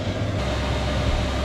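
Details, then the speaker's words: Chinese diesel heater in Sprinter van, set to 30 degrees, going to maximum: steady deep roar with even low rumble, no misfire or surging; burning cleanly, very hot output. "You can really hear it firing up now. Woohoo! It's set to 30 degrees at the moment, and that is hot."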